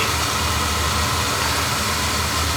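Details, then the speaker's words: Oil burner after the pump and Tiger Loop were replaced and the pump pressure, likely set too low before, was raised; steady even roar with a smooth hiss and no pulsing or puffing, running better and firing cleanly. "that sounds different that sounds better it ain't looking too bad in there actually"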